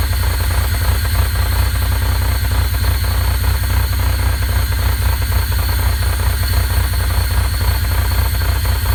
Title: 2.8L Fiero Engine Knock when warm